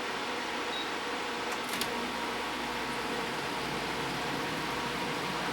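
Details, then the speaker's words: DeLonghi Pinguino PAC N120EC 12,000 BTU R410A portable air conditioner running on high fan; an even airy fan whoosh over a smooth low compressor hum, no rattles or knocks; quiet, normal running. "so it's really not that loud and I'll turn the mode to dehumidify"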